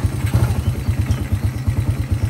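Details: Honda EX5 serviced before sale, idling after the cam timing marks were realigned to cure strong tappet noise. Even, steady thumping at about ten beats a second, no tappet clatter, now quiet and healthy single-cylinder idle.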